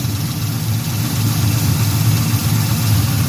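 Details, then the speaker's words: 1974 Chevy Caprice carbureted V8 at cold idle, mic near the engine, after a valve adjustment cured an exhaust misfire: a deep, steady burble with an even beat and no ticking. Normal cold idle. "you don't hear no ticking everything's running like it's supposed to she warming up in the cold you hear how she sounds in the cold and she ain't even warmed up"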